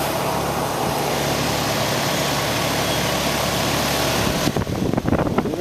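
A steady, even low hum with a constant fan whoosh and no rattles or scraping, then some handling noise at the end. The fan is running smoothly.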